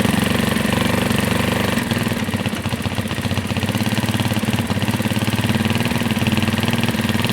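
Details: Carbureted Janus 250 single-cylinder motorcycle at full operating temperature, idle screw adjusted to about 1,600 RPM (target 1500–1800): steady, even putter at a settled low speed with no hunting or surging; normal idle.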